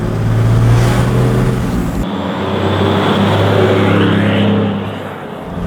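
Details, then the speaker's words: Toyota 1HD-FTE six-cylinder turbo diesel with a straight-through 3-inch exhaust off the dump pipe, heard from the rear while driving: a deep, steady, truck-like drone rising and falling with speed; a clean, healthy exhaust note. "it sounds amazing out the back it's like proper any six cylinder diesel just sounds like a truck"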